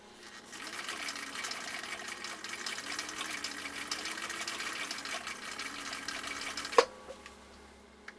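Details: 1959 Husqvarna Viking CI-21A sewing machine after restoration, sewing cam C stitches over a ripple: soft, even whirring hum running smoothly for several seconds, then stopping with a light clunk; machine sounds healthy.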